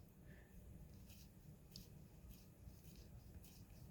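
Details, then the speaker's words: Zipp 303 bicycle wheel spun by hand off the bike: almost silent, no grinding, clicking or rumble, healthy front hub bearings, unlike the gritty, noisy rear. "nice and quiet spins no noise"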